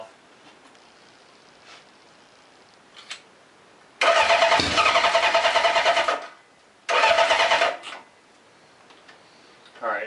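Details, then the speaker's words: Old Honda CB750 chopper with rebuilt carburetors, cranking on battery charger: catches in short rough bursts with lumpy uneven beat before dying, sounding like only two cylinders fire; owner suspects dirty points, timing unverified. "Sounds like only two are lighting off."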